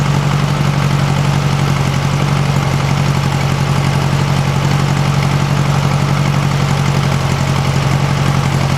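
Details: 1956 VW Beetle flat-four on a stock Solex 34 PICT 3 carburetor, warming from cold: a low, even putter at idle with no ticking or puffing. It sounds healthy; it just needs some adjustments.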